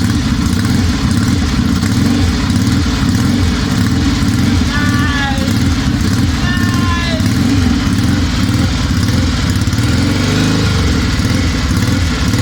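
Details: 1963 Norton SS 650 twin after complete rebuild, first start on a makeshift fuel system with year-old fuel; thumps along at a steady even beat with a gentle rev, no misses; normal running.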